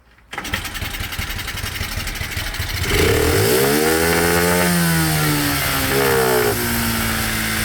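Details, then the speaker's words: Cheap single-cylinder monkey bike with new head gasket, still smoking, after carburettor mixture screw adjustment: fires up, revs rise smoothly then settle to steady, fairly even idle without stumbling; normal running, needs fine tweaking. "That seems to be pretty good, a little bit more fine tweaking, and I'll be able to get it pretty bang on."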